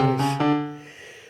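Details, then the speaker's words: Roland MKS 20 digital piano played via MIDI from an MC-50 sequencer, after replacing the dirty-contact bypass relay that caused distorted output: clear, steady piano notes with no crackle, hum or dropouts; output now clean. "Definitely cleaner. Nice."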